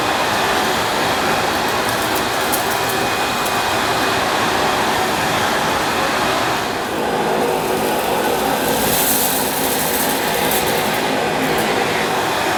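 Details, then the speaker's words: Panasonic MC-E862 bagged cylinder vacuum, bought new in box, picking up dirt on deep pile carpet: a constant airy roar with a steady motor hum, no surging, rattles or squeal; a relatively quiet, good performer running normally. "after using it for a short time I'm rather taken with this little Panasonic it's a very good performer it's a relatively quiet and it's nice to use even on this deep pile carpet"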